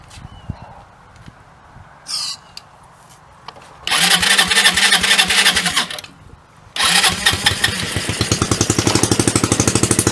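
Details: Hammerhead 250 SS after a tune-up, with the idle adjustment screw just turned up and brake cleaner added: two bursts of cranking, the second with quick uneven firing that never settles; cranks without starting, and it runs right after.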